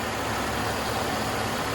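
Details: 2010 Buick Lucerne at idle after a test drive, with a new radiator cap fitted for coolant being pushed into the overflow tank: steady, even idle with no gurgling. The top hose is pressurised and the level is holding; normal.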